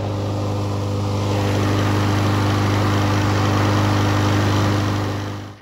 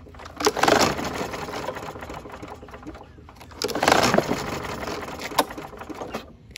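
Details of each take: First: 2019 Troy-Bilt TB110 mower, 150cc Briggs & Stratton, previously hydrolocked from overfilled oil, run about 20 minutes to expel the leftover oil; steady, even governed drone, no misses or knocks; running smoothly, normal. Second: Hydrolocked 2019 Troy-Bilt TB110 push mower with a 150cc Briggs & Stratton engine, overfilled with oil and with a broken blade adapter: two quick rasping recoil pulls with the spark plug removed, engine spinning free to expel oil from the cylinder.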